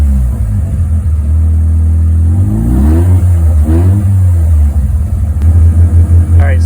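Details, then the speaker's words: Mazda 13b rotary in a Willys Jeep with FiTech EFI, during tuning ride: punching the throttle, AFR leans to 16:1 then overcompensates, engine stumbles, sags and smokes before evening out; lean stumble on tip-in. "I'm seeing when I punch the throttle look at that it went up 16 to point 16 to one so it's leaning out and then it's overcompensating there it's stumbling and smoking"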